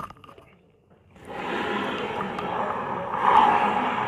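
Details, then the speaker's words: Honda Vario 125 CVT noise sounding rough like reduction gears grinding, but actually a gritty grind from a worn, dry bearing in the rear driven pulley clutch as the rear wheel turns. "Nah. Kedengarannya kasar, jadi dia kayak posisi kelakar atau enggak gigi rasio yang beradu. Padahal itu bukan dari gigi rasio."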